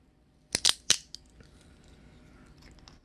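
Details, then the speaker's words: Carbon seatpost squeezed hard with pliers to show how fragile carbon is under a steel band-type clamp. Three sharp, dry cracks in quick succession, then faint crackling as the inner carbon fibres give way. "타면서 이런 소리 나면 소름 끼치겠죠. 네, 이렇게 이런 소리가 나요. 안쪽이 막 이제 애들이 맛이 가기 시작하죠."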